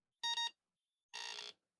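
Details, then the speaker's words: Milmar Apple II+ clone at power-on with original ROM and speaker fitted, expected a normal Applesoft BASIC beep: instead two short bursts of harsh, buzzy high tone; abnormal boot, video circuitry also faulty, cause unclear. "Well, that doesn't sound right, does it?"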